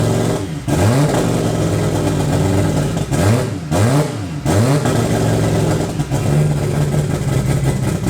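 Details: Toyota 2JZ turbo six in a Holden VL Commodore, first run in eight years after wiring work; rough revving with a lumpy uneven beat, one cylinder dead; misfiring on five cylinders.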